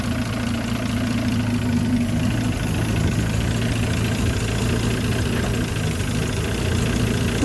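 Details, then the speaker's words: Land Rover Series 3 109, 2.6 six-cylinder still being tuned, just after starting, good oil pressure: quiet, even idle with a smooth low hum and no tapping or stumble. Normal idle, engine in good order. "there's something on idle and but listen quiet the engineers now you know you've got a very good engine"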